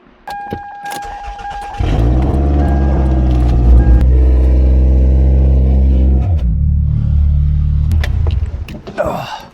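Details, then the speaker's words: 2001/2002 Toyota Camry, exhaust being replaced from manifold back, muffler missing: catches and settles into a loud, deep, booming drone at idle with a blip; loud exhaust from missing muffler. "That's why it needs a muffler."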